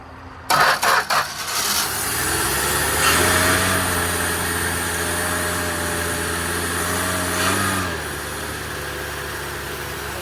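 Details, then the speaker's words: 1965 Plymouth Barracuda slant six parked since 1994, hot-wired with no condenser connected: catches after a few cranks, runs with a wavering note for several seconds then sags and dies; won't idle, little smoke, no mechanical noise. "sounds good. It's crazy that it won't idle. It ain't smoking terribly bad. No noise whatsoever."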